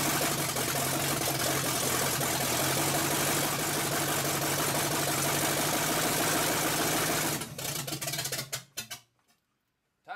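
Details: Chevrolet V8 with wrong plug wires and a spring-rigged partial choke roars loud and uneven for several seconds, then stumbles and dies; owner suspects the timing is way too low and plans to advance the distributor.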